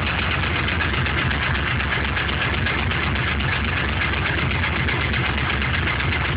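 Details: LS1 C5 Corvette block with truck accessories, 10W-30 conventional oil, runs strong, no leaks or smoke, cold start: loose uneven light knock about four per second; owner suspects piston slap, unconfirmed.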